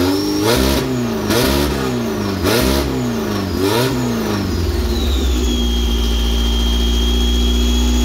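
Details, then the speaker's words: Engine with new tri-power three-carburetor setup, stock pump jets: revved in quick bursts, pitch climbing then dropping, some stumble near the top; owner suspects points or valve springs floating, bigger pump jets needed. "but oh yeah, I can hear it bouncing. The points either floating or valve springs even floating."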